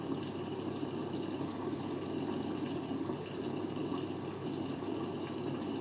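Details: Siemens 9 kg washing machine, Eco 40-60 with an 8.35 kg full load: even rushing water through the i-Dos dispenser with no gurgle, hammer or pump strain; normal fill.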